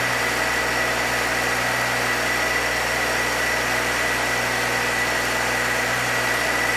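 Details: 1966 Chevrolet C20, rebuilt Chevy 292 six, ring break-in: steady, even fast-idle drone around 2,000 rpm; no ticks, knocks or new noises, oil pressure held, coolant didn't overheat. Normal break-in run.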